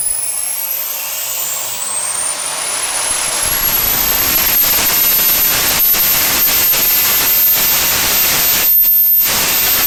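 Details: SWIWIN SW220B micro jet turbine on test stand, first raw factory-settings startup at about -24°C; whistle climbs into rising roar but hesitates briefly mid-spool, hanging on fuel ramp because tank vent plug was left in, restricting fuel; fuel-starved startup hesitation.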